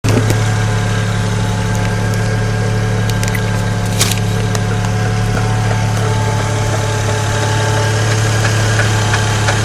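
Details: 2008 BMW 335i with N54 engine at idle: steady low drone with a faint, loosely regular knock about three a second.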